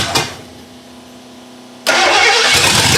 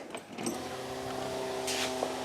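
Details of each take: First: 1982 Ford Granada after years parked, first start with a dry, unprimed carburetor: engine fires and roars, sags and dies, then catches again, and won't settle into an idle. Carburetor suspected, not confirmed. Rough idle and stalling after start. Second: 1982 Ford Granada revived after sitting for many years, key on with the engine not running and a temporary battery: quiet, steady electric whir of constant pitch as the fuel pump primes; leaks were later found at the pump and filter. Normal fuel pump running.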